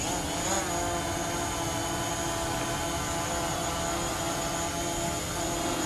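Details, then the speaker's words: DJI Mavic Pro drone on aftermarket Master Airscrew props hovering at 450: smooth, even buzzing hum, steady pitch, no wavering or beating; normal hover, possibly more stable than standard props. "wobble nothing I'd actually say that might even be more stable than the standard props"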